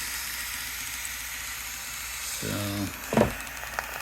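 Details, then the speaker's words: Shark Genius steam mop after replacing its bad water pump, with the water reservoir running low: constant steam hiss, then rapid pump chatter as pressure builds; normal steam output. "you can kind of hear the the pump working there it's kind of making a little Pitter Patter Pitter Patter and then that's how it gets its pressure then it'll start pumping out more and more as it gets built up more and more pressure"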